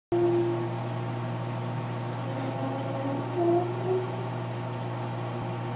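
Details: Microwave oven heating popcorn: steady low hum with a wavering squeal rising and falling on top; source of the odd noise unclear.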